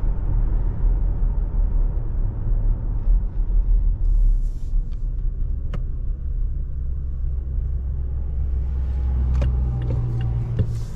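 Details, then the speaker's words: 2023 Toyota Tacoma SR 4x4 four-cylinder at 1,801 miles, running in the dark: a low, smooth hum with a steady note and no knocks or ticks; a healthy engine. "this is just to give you an idea of what the uh motor sounds like"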